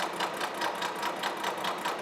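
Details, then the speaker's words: Horizontal milling machine side milling a bronze bearing casting at 0.100 in per pass: a steady cut with a sharp regular knock. The cutter is hitting hard on one tooth, yet the finish is good. "cutter really sounds like it's hitting hard on one tooth but I'm getting a really nice finish so I'm not going to worry about it"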